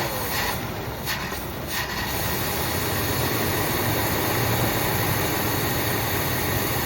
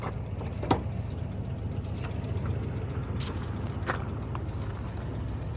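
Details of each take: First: 1979 Buick Limited Landau, 350 Buick V8, first run after long storage, old gas drained, new fuel pump, some two-stroke gas in fuel, smoking a little: loose, uneven low rumble behind hiss, unsteady beat; rough idle. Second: 1979 Buick that sat over 20 years, now running after a new fuel pump, new battery and a drained tank. It still needs brakes, a tune-up and a carb rebuild. It gives a low, even burble with a few light clicks, idling smoothly.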